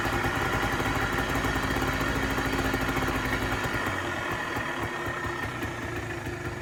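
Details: Polaris Trail Boss 250 4x4 ATV, exhaust still cold, fuel on reserve; uneven, lazy idle with loose irregular beat that sags and slowly fades; rough cold idle, later sluggish moving, cause not confirmed.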